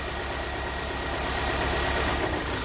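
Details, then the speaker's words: 2017 Hyundai Santa Fe Sport 2.4 with P0301, injectors disabled one by one via scan tool at idle: lumpy idle with low chuffing pulse and uneven beat; cylinders 2–4 changed significantly, cylinder 1 did not, confirming its misfire. "that changed significantly let's go to number four uh-oh that changed significantly so number one didn't change"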